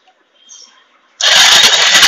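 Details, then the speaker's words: Bajaj Pulsar 150 self-starter after damaged starter bush caused noise and starter was replaced with new one: clean high-pitched whir, smooth, no grinding or clatter; starter healthy. "अब इसमें कोई आवाज नहीं। नहीं आने वाले।"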